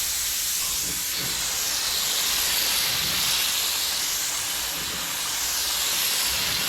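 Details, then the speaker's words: Paint spray gun used while priming a 1981 Corvette hood: constant steady high-pitched air hiss that never cuts off; the air valve is stuck open and the gun needs rebuilding. "just got some problems for yeah what's the issue with your gun sounds like it's stuck in air"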